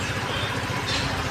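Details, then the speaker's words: TVS Jupiter 125 scooter after half-engine rebuild with timing set to TDC marks, self-started at idle: steady even low putter, no knocking or rattling; engine noise now quiet. "Engine की आवाज बिलकुल शांत हो चुकी है। देख सकते हैं। बिल्कुल ही आवाज शांत हो चुकी है।"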